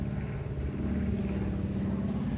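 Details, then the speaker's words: Toyota Camry derby car with new spark plugs and plug wires, running much better than before: uneven stumbling beat when revving, sounds like it's still almost missing; owner suspects fuel pump, cause not confirmed. "she seems to be running a lot better than what she was that day she still don't sound great when she's revving up she's trying to think now what could that be sounds like she's like almost missing still"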